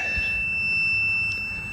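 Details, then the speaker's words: Garden railway track put back together after trying cardboard pieces: one steady high continuity-tester beep, track shorting again; short on one side of the track only, cause still unknown. "I got the track back together and now it's shorting out again I have no idea why"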